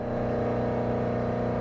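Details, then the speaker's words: Three-phase converter supplying 208 V three-phase to a Hobart 4346 commercial meat mixer-grinder; steady even hum with constant low tone, no knocks, surges or grinding; converter running normally. "We've got a three-phase converter, which you're going to hear running in a minute. You're going to hear it humming."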